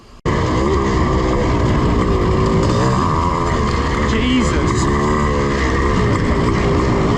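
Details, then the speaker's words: Yamaha IT490 two-stroke cafe-racer project revving hard under load: a rising, wavering buzz with a faint metallic rattle. The rider suspects detonation/pinging and says it doesn't always sound like this. "yeah that noise that to me sounds like detonation but I'm no expert is it just normal is that what it's supposed to sound like it doesn't always sound like it"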